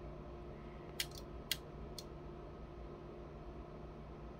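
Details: Yaesu FT-891 radio on a power supply with good voltage and intact fuses: holding the power button gives one or two sharp relay-like clicks over a quiet hum, but it won't power on. The cause is unknown.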